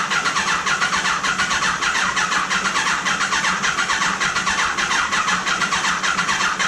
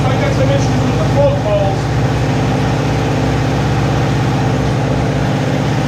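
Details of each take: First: Neglected Kawasaki ZG1000 Concours: about seven seconds of steady cranking with no firing; spark seems present but no fuel reaching the carbs. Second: Neglected Kawasaki ZG1000 Concours after the gelled-up carburetors were taken apart and rebuilt: deep, even idle with a smooth steady beat, no misses, knocks or hunting.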